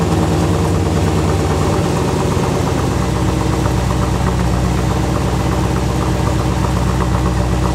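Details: 1986 Corvette L98 TPI 5.7L V8 idling after cleaning clogged plenum EGR port (for EGR and knock sensor codes, failed emissions): deep steady rumble, even beat, no misses or knocks; no check engine light noticed, healthy idle.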